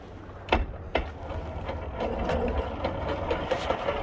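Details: Vespa P125X two-stroke with a VMC Stelvio 177 kit: a steady light clicking about twice a second at idle from a damaged primary/cush drive gear, damaged by a wide-open-throttle backward shift during an uphill plug chop test.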